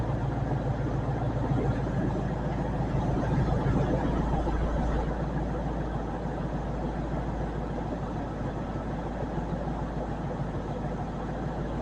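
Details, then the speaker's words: 2000 Ford F-150 4.6 V8 at idle: a steady low rumble with a rapid puffing tick riding over it from an exhaust leak. "you can hear the exhaust leak"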